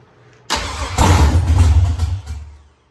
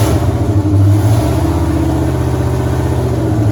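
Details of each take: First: 1983 Ford Mustang with rebuilt 5.3 LS V8 from a 2002 Avalanche, with cam upgrade and 4L60E, fire-up, thermostat not yet open, oil pressure 40 idle/70 revved: catches cleanly, blips up smoothly with an even deep beat, then shuts off; healthy start and rev. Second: 1983 Mustang with cammed 5.3 LS from 2002 Avalanche, in park, thermostat not yet open, idling around 750 rpm (briefly dropped to 700 via HP2): loud lopey uneven chop, slight hesitation on the rev; flat-spotted idle needing tuning, cylinder temps even within 10 degrees.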